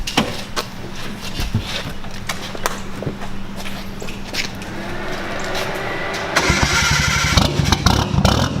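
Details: Nissan S14 with an RB20 swap and a full 3-inch straight-pipe exhaust, startup: the starter whirs, then the six-cylinder catches and settles into a loud, raspy but steady idle; runs clean.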